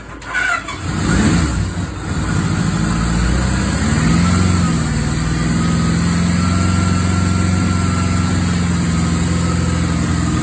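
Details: Suzuki GS850 first start after rebuild, valves not yet adjusted to spec: engine catches after a brief crank and settles into a steady, fairly even idle with a smooth hum. Normal idle.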